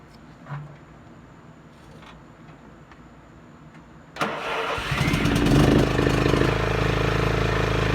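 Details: Craftsman LT1500 riding mower after PTO cable replacement: quiet a few seconds, then engine catches and settles into a steady roar with the blades spinning; runs normally.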